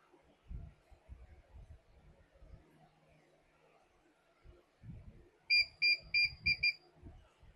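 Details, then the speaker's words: Hikvision 2-megapixel DVR powered on with hard disk cables removed: five sharp high beeps about three per second, continuous alarm that also occurs with a faulty hard disk; DVR alarm beep, no hard drive detected. "ये अभी हमने hard disk की cables निकाल दी है तो यह समटाइ्स यह hard disk जब खराब हो जाए तो फिर भी इसी तरह की बीप जो अभी आपको सुनाई दी है वो बीप कंटिन्यूस आती रहती है वफे से या इसकी हार्ड डिस्क इसके अंदर ना हो फिर भी यह बीप आती रहेगी।"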